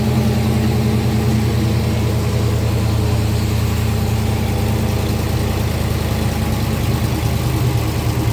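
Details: 2014 Dodge Charger R/T 5.7 Hemi, first start after 6.1 intake manifold swap with gaskets, fuel rails, injectors: deep even V8 idle rumble, no hiss, misfire or miss; normal clean idle.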